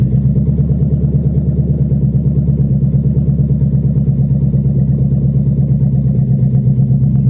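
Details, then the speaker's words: 1997 Mustang GT (salvage auction car) running with exhaust manifolds only and no exhaust system, before the SLP Loudmouth and BBK X-pipe install, driven off the trailer: deep raw V8 burble with hard uneven pulses at low idle, ridiculously loud. "You guys can hear how loud this thing is, because it's ridiculous. She's crazy. That is wild."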